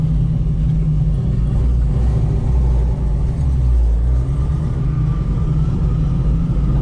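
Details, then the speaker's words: 1970 Ford Mustang Fastback, V8, 4-speed manual, power steering, on a test drive. A faint steady whine creeps in above the deep V8 rumble as the car turns: the power steering pump is low on fluid, with a drip from the hose or pump. "not to turn my head too much and get y'all dizzy, but you hear that whine? That's that power steering pump getting low on fluid."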